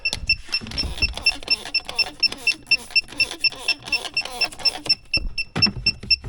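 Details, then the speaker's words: Car A/C system that would not hold vacuum, checked with an electronic refrigerant sniffer: rapid steady beeping, about two per second, at the suspect spot near the expansion valve/evaporator, a positive refrigerant leak reading after connections, compressor and condenser were checked. "I checked all around every connection with the uh compressor the condenser all the lines going to it and I'm getting a sniffing reading right around here"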